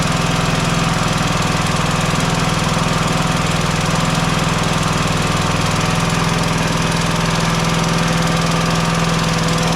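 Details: Mower engine at steady idle: constant whooshing hiss with every firing; head gasket is blown, leak also visible blowing down onto the rail when sprayed.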